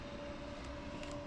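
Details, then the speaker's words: Newly installed 55 amp WFCO power-center converter in a travel trailer, output reading 13.7 volts, replacing an old shorting unit: faint, steady mid-pitched hum with no rattle or ticking; converter cooling fan running normally. "13.7 volts. The fan is going right now on the converter."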